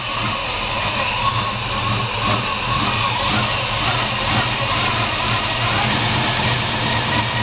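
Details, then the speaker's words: 1972 Chevy Monte Carlo small-block 350 V8 on first start after a FiTech Go EFI install: engine still cold, idle a little high but even with no misses. "system I in a little high but the engine still cold this is the first start the engine is still cold here it coming"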